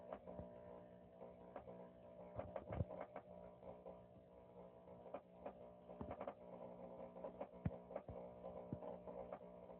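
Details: Power Jack 6000 inverter: steady low mains hum with sharp irregular pops and clicks about every second; inverter popping noise, cause unknown.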